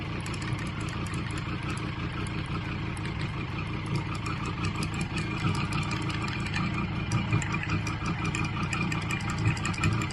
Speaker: the center bolt that runs on the shaft on the inside loosens up and that impeller is on a spline and this just starts to Rattle on the spline and boy oh boy it sounds like the bike's going to fly to bits